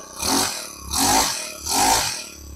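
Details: Honda GX25 pump engine with a starting problem from lost compression, run after coconut oil was put into the engine: three sharp, buzzy rev bursts in under three seconds, revving freely; now running normally.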